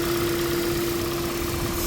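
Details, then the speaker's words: Toyota Prius in for heat warning, misfire and coolant loss, after repair: steady, even idle at about 78° coolant, no misfire shown; water pump speed 27 against target 23; constant mid-pitched hum, no skips or knocks, normal. "कोई misfire नहीं है और जो target है वो 23 है और जो स्पीड इसकी आ रही है पंप की वो आ रही है 27 और ये स्टेशन आरपीएम है"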